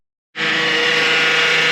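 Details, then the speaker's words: 2009 Honda Accord at idle with power steering low on fluid: the pump whines steadily with a hissy edge because the fluid in the reservoir is foaming and aerating. "so if we look down into the reservoir you'll see that the fluid is actually starting to aate and bubble and that irration is what you're hearing in the pump"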